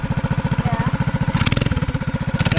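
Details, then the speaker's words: Mini bike with swapped Harbor Freight Predator 212 engine, warmed up off choke: steady, even single-cylinder thump with no misses or stumbles; idles great. "Hey, it's idling now. It idles great, too."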